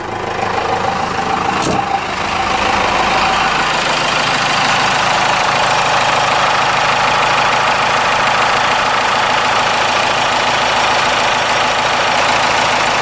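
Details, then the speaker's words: Cummins 4BT diesel truck idling in neutral after the idle/fuel adjustment was set to its maximum. A steady, even diesel clatter with a slight shake and vibration, no misses or knocks; it sounds a little better: a normal idle. "that sounds a little better there's a little more shakier but it sounds like a cummins yeah a little shaking here little vibrating"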